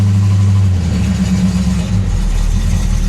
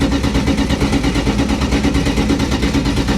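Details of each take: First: Dodge Dart Swinger 340 V8, 63,000 miles, mechanical fuel pump, long-sitting, just started cold on choke: deep steady burble idling on its own off throttle, slightly rough early until choke opens; healthy idle. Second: On a 63,000-mile original Dodge Dart Swinger 340 that has sat a long time, there is steady starter cranking about three beats a second for eight seconds before it catches. The mechanical fuel pump is presumed slow to refill the carburetor.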